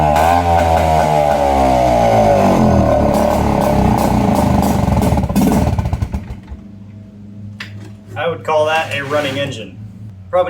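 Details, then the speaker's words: Nissan 5hp two-stroke outboard on a jon boat, first start after carburetor cleaning: rough revving buzz rising and falling unevenly then dropping off; runs but needs tuning or warm-up; fuel line dirty and kinked, due for replacement. "need to tune it a little bit or at least just let it warm up."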